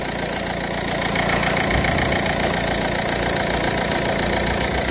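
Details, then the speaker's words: 2004–2008 Ford Fiesta 1.4 diesel after a long-overdue service with all filters changed: steady, even idle with a light regular clatter and no misses, knocks or surges; engine running smoothly. "motorun sesini dinleyin araba güzel oldu değil mi mi"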